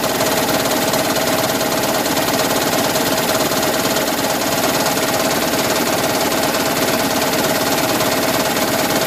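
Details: 2010 Toyota Prius engine at steady idle with a fast rhythmic chatter, roughly two knocks a second, over a harsh clattery background; raptor-like knocking of undiagnosed cause.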